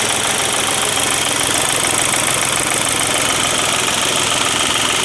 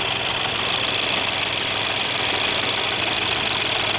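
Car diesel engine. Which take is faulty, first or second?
second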